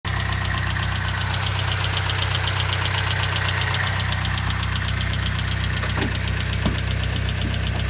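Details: 2012 Chevrolet Sonic 1.4T at about 80k miles idling: loud, fast, even ticking over a steady hum; owner suspected lifters, clogged injectors or purge valve; noise faded after injector cleaner and a new vapor canister purge valve.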